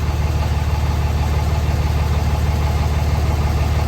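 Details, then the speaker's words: 2006 Dodge Cummins 2500 Mega Cab diesel after fitting an Edge CTS3 tuner, 100 hp injectors and fixing the fuel injection pressure regulator: steady, even diesel clatter at idle, no misses or knocks, no exhaust smoke; normal idle. "no smoke coming out the exhaust idle idle seems good um yeah idle seems good"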